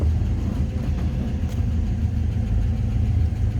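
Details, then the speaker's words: 1954 Chrysler New Yorker, 331 Hemi V8, PowerFlite automatic, 54,342 miles, just started: deep, even burble with steady low rumble, no knocks or misses; normal idle. "let's go ahead and start this up so you can hear it run just fires like that every time"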